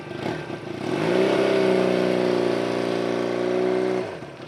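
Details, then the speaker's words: Barn-find Honda CB200T on first start after an owner engine rebuild, with new ignition switches and a new coil boot: the engine catches, revs and holds a fairly even buzzing note, then settles. It runs nearly healthy. "didn't know if i was gonna be able to turn it over but it did and she's purring like an almost completely healthy kitten"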